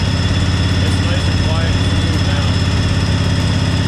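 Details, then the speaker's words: 1998 Craftsman GT garden tractor with a Kohler V-twin with hydraulic lifters, started on choke after only fresh gas and a different battery: even, smooth twin-cylinder idle like a Harley V-twin, no tapping or misfire; healthy engine. "this thing has a nice sound to it really sounds like a good v2 like a harley v twins nice and smooth"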